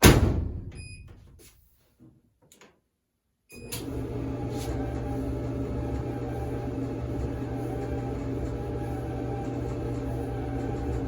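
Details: Clothes dryer after fixing a squeal by lubricating the dry metal-on-metal drum shaft bore: a few clunks at startup, then a smooth, even rumble with no squeal.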